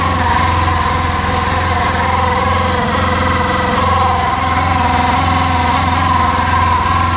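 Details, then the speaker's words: 2014 Polaris RZR 800 UTV, loud steady engine with a rough, uneven scraping squeal-rattle about three per second from the clutch area; clutch cover rubbing the clutch. "I kind of want to take off the clutch cover and see what that squealing noise is, too. It just sounds really, really bad."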